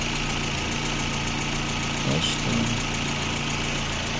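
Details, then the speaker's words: Lada Granta warming up on petrol, near cooling-fan switch-on, with antifreeze starting to boil: smooth, even idle with a steady low hum and a brief bump midway. The engine itself runs well, normal idle. "Це вже почти момент включения вентилятора. Двигун працює хорошо. Сечас зараз на бензині."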